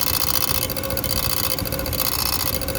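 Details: 10-year-old 2011 Ram truck noisy when cold: metallic rattle and scrape over cold idle from the bent transmission-to-engine inspection plate, missing a bolt, rubbing the flexplate; first suspected torque bolts; fixed by bending the plate back.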